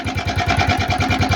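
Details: Italika FT150 single-cylinder that won't stay running: hard, regular knock about ten per second over a rough idle. A loose piston pin with missing circlips scored the cylinder and damaged the cam gear; the cylinder and piston were replaced.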